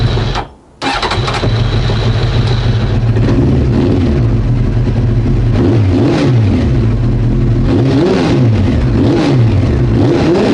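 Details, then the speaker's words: Nearly 30-year-old Honda CBR900 Fireblade after switching the fuel tap to reserve: a short pause, then it catches and settles into a steady idle with clean throttle blips; it starts and runs normally and is thought to be fixed. "Right. I think it's fixed. Yeah, sounds like it."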